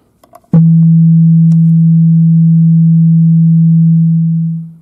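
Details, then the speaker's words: KEF KC62 subwoofer fed a pure 164 Hz tone from a low-frequency generator, bypass mode: one steady low hum fading out cleanly, no buzz, rattle or crackle; normal clean reproduction, no fault found. "j'ai bien ma fréquence pure de 164 Hz sans aucun parasite."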